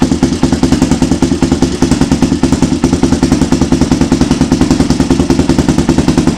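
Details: Honda 400EX ATV being rebuilt: steady, even single-cylinder thumping idle with light mechanical clatter, no misses or knocks. Normal idle.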